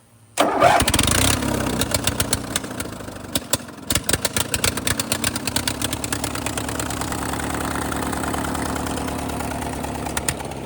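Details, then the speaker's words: Tractor first started in a couple of years: cranks and catches, then a slightly lumpy, uneven idle with loud open-exhaust popping; rough running, owner suspects carb cleaning and spark plugs needed. "All right. Doesn't sound too bad. It's got a few cobwebs, it sounds like. Probably a little carb cleaning and check the spark plugs and probably all I got to do."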